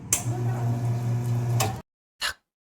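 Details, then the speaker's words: Espresso coffee machine on brew button press: sharp solenoid valve click, steady low motor pump hum nearly two seconds, then another click as extraction stops; normal solenoid valve and pump operation. "윙, 탁, 탁 소리가 나고 바로 윙 소리가 나죠. 그리고 탁 소리가 나면서 추출이 멈추게 되는데요."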